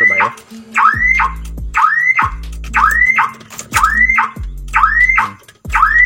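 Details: Daihatsu Ayla with a faulty remote: factory alarm stuck sounding, a siren rising and falling about once a second, keeping the engine from starting until the alarm function is switched off entirely.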